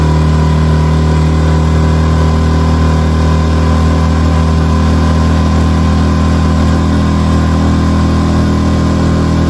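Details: New Hangkai 6.5 hp four-stroke outboard on a 10-foot jon boat: strong, even drone at constant revs with steady low note, no miss or knock; running clean under load.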